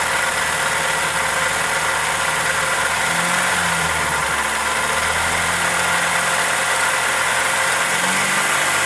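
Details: Toyota 2E engine (Corolla EE90) at steady idle under a hissy top end with a faint light tick; cause not pinned down, valvetrain or connecting rod suspected.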